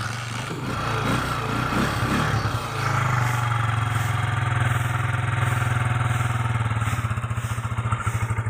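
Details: Motorcycle with hard starting and stalling; catches hesitantly, runs unevenly, then ragged popping pulses. Sputtering, hard running; carburetor suspected (clogged or overflowing), not confirmed.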